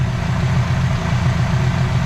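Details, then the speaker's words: 1972 Ford Pinto with restored Motorcraft carburetor, mixture screw out 2.5 turns: deep, steady, even idle rumble, no misses or hunting; idles just about perfect. "I mean, that's idled just about perfect."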